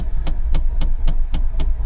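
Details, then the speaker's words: 2022 Mahindra Bolero Neo, idling: sharp regular mechanical ticking knock about four times a second inside the dash, first mistaken for a trapped animal or bird; recurring after vanishing 2–3 months ago; source unconfirmed. "शुरू में तो मुझे लगा शायद कोई कोई जीव-जंतु फंस गया अंदर या कुछ बाहर से कोई बर्ड है वो कुछ नॉक कर रही है लेकिन ये कुछ मैकेनिकल सी आवाज है"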